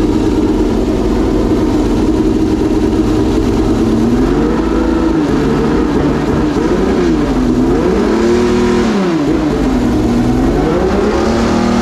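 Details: Homemade V12 race engine, reinstalled in the race car and first fired after several months of storage, revving up and down cleanly with pitch tracking throttle, no stumble or misfire; running properly.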